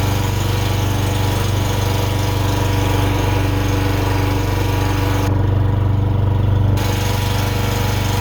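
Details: Honda generator that would not start, after carburetor cleaning, oil change and draining old gas (water seen in the fuel filter), first start on choke: smooth, steady chug at constant speed with no misses, surging or knocks; running normally.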